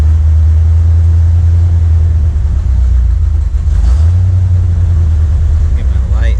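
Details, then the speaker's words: 1979 Corvette L82 V8, in neutral, smoke test showed no vacuum leak, rpm gauge wrong; deep idle wavers and stumbles unevenly; owner suspects carburetor idle circuit transition causes the choppiness, not confirmed. "This is the closest to an idle it's ever been, but it's still like stumbling."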